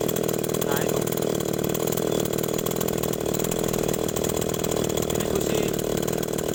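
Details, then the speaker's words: Small two-stroke agricultural sprayer engine, after fitting a new spark plug to cure hard starting when cold: starts again and buzzes at a steady, even idle with no misses or surging; runs normally. "kita ganti dengan kunci yang baru ternyata hidupnya lagi"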